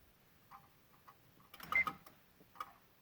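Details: 2016 Honda Odyssey with Engine, VSA, LDW and FCW warning lights on: faint, irregular clicks, singles then a quick cluster, in a quiet cabin with the engine off, coming from near the PCM and VSA control module; a relay chattering.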